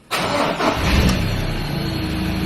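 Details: Ford Ranger PX diesel (2.2 or 3.2) after major service and fuel filter change, ignition cycled to prime diesel first: engine fires at once and settles into a smooth, steady idle with no stumble; a healthy start.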